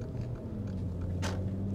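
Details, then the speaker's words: Mercedes ML350 at 198,000 miles with timing chain faults blamed on bad actuators, heard from the cabin at startup: low, uneven drone with one sharp clunk; rattles and runs rough, low on power, loose chain suspected. "Right away, you hear that? Yeah, that sounds pretty clunky."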